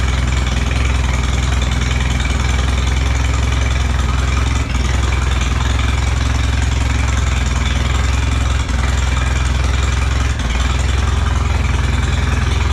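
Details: Allis Chalmers B tractor engine first running after a long rebuild (radiator and water pump off), oil pressure up: steady low chugging idle, even firing about three pops a second, no knocks or stumbles; normal idle.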